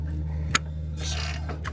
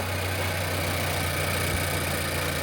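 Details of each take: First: Nissan Qashqai 1.2 DIG-T engine turned by hand: sharp metallic click and loose clattering from slack timing chain, caused by failed exhaust VVT cam sprocket; chain nearly jumping teeth during timing. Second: Nissan Qashqai 1.2 DIG-T after timing chain and failed VVT cam sprocket replacement: first start, idles smoothly and quietly with even steady hum, no misfire or rattle.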